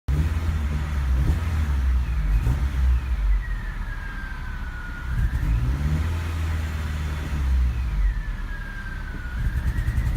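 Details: Honda HR-V, 195,000 km, cold start after 3 weeks parked at night temperatures to -10°C: smooth idle but stumbles and pops when blipped at low rpm; misfire gone once warm.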